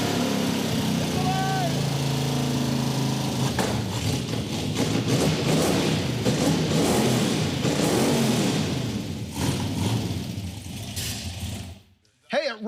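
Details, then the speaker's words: Roadkill 426 Hemi Gremlin, freshly built, first start: V8 with side exhaust roars loudly with an uneven, lumpy burble under throttle blips; runs rough and sounds weird, oil coming up through the tube, cause not confirmed. "dude it runs it's it's loud it sounds weird it's all side exhaust"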